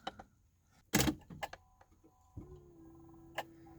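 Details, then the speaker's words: 1994 Toyota MR2 Mk2 GT turbo JDM, off the road for 5+ years, battery freshly charged, ignition on before starting: key clicks, then steady low buzz of the electro-hydraulic power steering pump running normally. "Hear that buzzing there? That's the electro hydraulic power steering."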